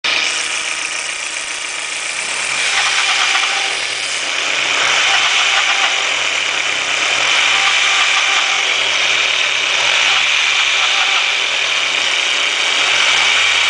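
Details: 1.8T engine running: busy metallic rattle roughly three to four beats a second over the engine; source not pinned down.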